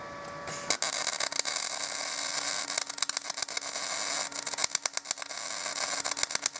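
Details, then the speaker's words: MIG welding arc on a Binzel-style gun with 0.030 wire and matching tip: steady hiss breaking into irregular sputters and stutters from uneven wire feed through a worn gun liner; replacing the liner cures it. "every time it sputters and stutters is because of the liner you switch the liner and it will go away"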